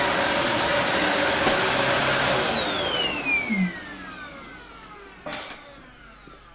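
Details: Filthy Dyson DC01 Breakthrough limited edition, 1000 W motor, unused 15–20 years: strong, steady high whine with rushing air, then a smooth wind-down after switch-off. Healthy motor, no problems found.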